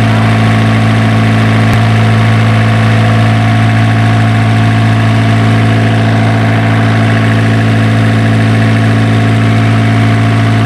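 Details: Isuzu diesel generator engine, previously hard-starting, now running after troubleshooting: a smooth, even idle with a steady low beat of about three and a half pulses per second and no misses or knocks.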